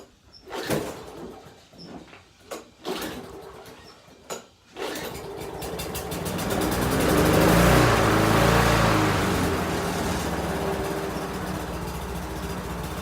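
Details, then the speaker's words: Free used small gas edger, only washed off, started by pulling a cable and stopped by pushing it in: a few separate pull-start attempts, then it catches and settles into a steady, even run. Runs healthy. "This is amazing. All I really did is wash it off. Well, that was easy."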